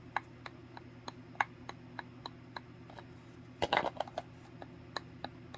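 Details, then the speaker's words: Bowflex SelectTech 552/1090 dumbbell handle loose in crossbar assembly: sharp light clicks about three a second with brief rattle; grip shifting in handle seat, fix is tape. "so in some cases you get quite a bit of movement and when you're working out you can hear it and you can feel it"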